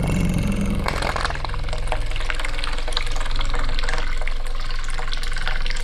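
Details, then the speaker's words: Mini excavator fuel pump with odd plumbing (intake linked to outlet), bench-powered off the machine to test: steady low hum with fuel splashing, pump works normally. "So, we're going to see if it still works and otherwise we will install a new one. Let's get that off and see what happens if we power it. It sounds like it's working."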